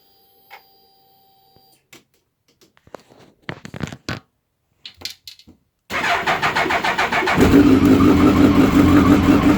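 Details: Suzuki Hayabusa started from completely cold: fires and settles to idle with a steady whirring tone over the engine, same at any temperature per owner; cause not yet known.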